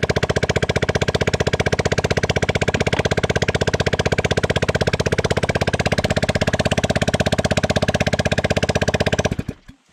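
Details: Cheap, neglected Chinese Bashan 200cc ATV, first run after fixing a no-spark problem: sharp, even, raw and very loud popping beat at steady idle until shut off, because the exhaust pipe is not fitted.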